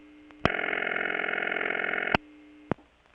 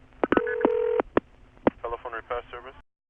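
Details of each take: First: Bell System No. 355 step-by-step office, Kent CT, August 1980: busy signal from the Sharon ringing machine, even buzzy bursts at steady pitch without sagging or slowing; machine in good shape, no speed problems. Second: Bell System 355 step office, Kent CT, August 1980, with the call routed via a crossbar tandem to an ESS destination: a steady ring tone cut by clicks, with chirpy MF tone pairs bleeding into the transistor-oscillator audible ring supply; crosstalk.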